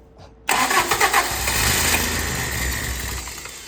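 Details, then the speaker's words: Toyota 22RE no-start after air was bled from cracked fuel lines: starter cranks, engine fires briefly with uneven chugs then dies, won't keep running; cause of the air in the fuel system unknown. "and now I think it's going to fire up. Well, it did for a second."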